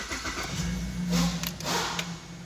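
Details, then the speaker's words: 2007 Chevrolet Caprice 6-cylinder after a cylinder 6 misfire code (P0300/P0306) repair and air intake reinstalled: cranks, catches quickly and settles into a steady, even idle with no stumble or miss. "now we start the engine lets see start so guys engine is now ok"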